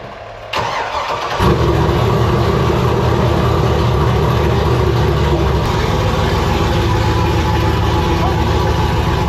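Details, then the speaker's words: 1964 Ford F100 body on modern Cadillac Escalade chassis, first drive, previously only idled with no pedal response: engine catches within a second, settles into strong steady even rumble, no stumbles or knocks; runs great. "I just want to make sure everything ran. It runs great. It is a freaking beast."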